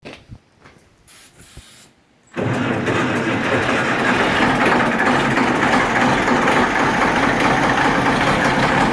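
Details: 1973 Case 1370 tractor diesel, head gasket replaced, starting and running with a heavy, regular knock pounding through its clatter despite good oil pressure, temperature and boost; engine knock.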